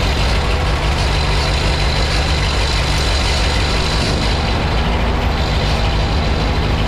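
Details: 1952 Ford 8N tractor, gravity-fed fuel, after replacing the carburetor to cure stalling at idle and under load, in neutral: steady, even low rumble throughout with no stumbling or dying; later ran 20 minutes in the field without stalling.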